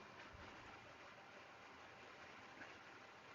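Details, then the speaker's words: Wood lathe turning a cracked blank, speed raised from about 400 RPM: heavy rattling roar and shaking at a resonant speed, things falling off the bed; smooths out and runs stable at 1600 RPM. "Now the lathe's starting to shake a lot. You can hear it. Right, you can even see that one down there and things falling off the bed."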